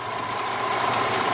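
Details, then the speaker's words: 2003 Jeep Liberty Sport warming up with throttle raised, fan relay code P1491 being diagnosed: steady high-pitched alternator whine over engine hiss at idle, battery voltage dropping, dirty battery terminals; alternator whine. "That thing is definitely whining. Let's go over here and listen to this. Not a bad alternator to change either."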